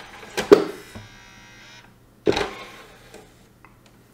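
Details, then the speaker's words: Xbox 360 version E disc drive, with or without a disc: short tray motor whir and click on closing, then a second whir as the tray reopens by itself; tray won't stay closed, jammed by a foreign object. "if I click to close the tray it's telling me closing and then it's opening automatically again so that's basically the problem"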